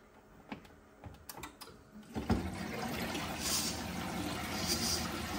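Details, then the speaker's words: ATAG system boiler with no heating or hot water: after the pump fault and a PRV clean, a few clicks, then a steady low hum with water rushing as the circulating pump runs and circulates normally. "already sounding 10 times better as you can actually hear the pump running so that will now be circulating and alleviate any issues we had"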